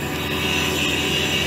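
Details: HVAC compressor replacement job, vacuum pump pulling down with gas ballast open: loud, steady, even drone with a thin high whine on top, no knocks or surging; the pump runs smoothly.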